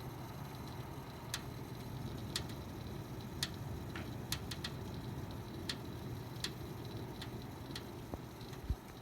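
Faint, sharp ticks arrive irregularly, about one every second or so, over a low steady fan hum; the source is unclear.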